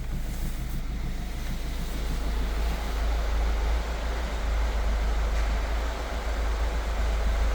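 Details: 2014 Hyundai ix35 2.0 184hp diesel automatic at 166,000 km, warm after half an hour of driving: steady rumble with a faint uneven knock at 3–4 beats per second. Heard stationary or pulling away, up to about 1500 rpm, inside the car; it sometimes stops on its own. Cause unknown.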